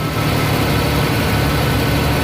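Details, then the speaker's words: Ford 2.9 L V6 with an idle air control valve replaced last year: with the valve plugged in the engine hangs at a raised idle instead of settling; unplugged it comes down properly. Owner doesn't know why, cause not pinned down. "just holds it at that higher idle I have no idea why that's new though that thing's brand new"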